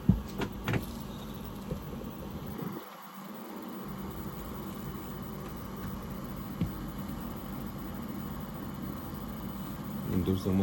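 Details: Furnace with a new blower motor, where the heating system shuts off due to low blower speed; steady, even low hum with a constant inducer motor drone at startup, nothing abnormal; normal inducer startup.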